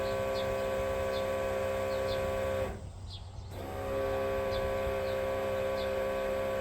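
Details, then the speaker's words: 1987 Chevrolet V10 with a new Carter electric fuel pump fed directly from a battery: a steady hum with light, regular ticking, briefly cut and restarted; the clear filter shows no fuel, so the pump is running dry and not priming. "Not seeing nothing yet. Supposedly the more bolts makes it pump harder and supposedly it can prime itself."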